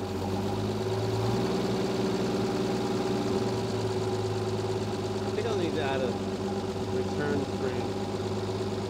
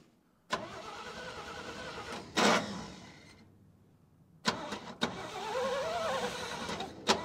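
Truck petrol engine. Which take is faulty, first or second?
second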